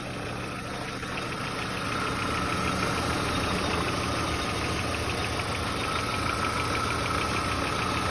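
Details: Volkswagen Passat B4 engine at steady idle with light, fairly regular ticking knock about three per second; owner unsure if knocking or normal, source unclear.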